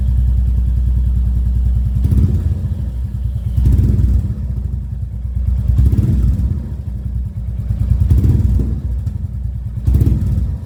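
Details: Royal Enfield Classic 350 Reborn with new long-type PoweRage exhaust, DB killer removed: deep, steady single-cylinder thump with rev rises every couple of seconds, clean and even, no knocks; healthy open exhaust.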